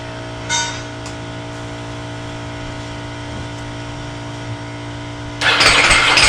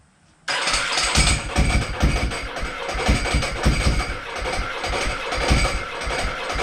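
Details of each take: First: Ducati Multistrada with fuel about three years old: a steady electrical hum, then a strange rough starter burst that doesn't catch, and the bike won't start; an electrical short is suspected. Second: Ducati Multistrada, just bought, water in exhaust, starter kept turning after button release: fires into lumpy twin idle with loose uneven clanking rattle on top; normal dry clutch clatter.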